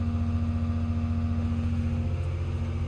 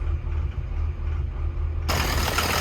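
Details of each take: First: Construction machine diesel after the newly fitted rail relief valve was pulled and refitted: deep even roar with strong low-end rumble, no misses; tons of power though still in limp mode with check engine light. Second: Construction machine diesel at idle hunting unevenly with no steady beat; rail pressure erratic and above set point, leak-off from the fuel rail relief valve shows the valve not sealing, after earlier failed repairs by others.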